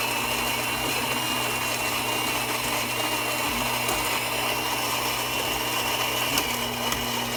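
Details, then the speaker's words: Gaggia Anima Prestige espresso machine grinder after repair, previously not grinding because weak lid magnet failed to trigger sensor, fixed by gluing stronger magnet: steady high whir with even gritty bean crunch, grinding normally. "all right well there it is gadget Lima working once again"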